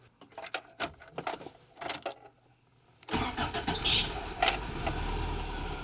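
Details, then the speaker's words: 1988 Toyota Pickup 22RE had an intermittent click-no-start. The starter relay was rewired with a new 30 A fused wire to battery positive and its contacts were cleaned and sanded. Afterwards the engine catches at once and settles into a steady idle with no clicking. "so well as you guys saw it started right up there"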